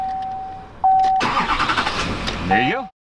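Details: Chevy 2500 HD 6.6L Duramax diesel with both batteries disconnected, jump started only from an iOnBoost V10 Torque lithium jump starter: ignition chime, then a short burst of strong, even cranking before the diesel catches and starts cleanly. Normal cranking and start.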